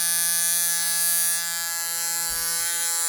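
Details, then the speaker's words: Budget £9 WISH rotary tattoo machine run at 9 volts on the power supply: loud raspy buzz holding one steady pitch with a gritty edge; harsh loud running. "now it doesn't take a mastermind to know that this machine sounds absolutely horrendous it sounds like someone's actually trying to kill it"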